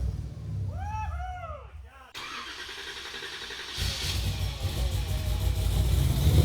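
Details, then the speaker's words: Hellcat V8 swapped into a Nissan 350Z, first start after reassembly and sensor fitting: cranks a few seconds, catches, idles with a deep even burble and revs cleanly with no knocks or misses, normal running and revving. "cruzo los dedos para que podamos tener un encendido exitoso y al fin poder escuchar rugir este motor como se debe"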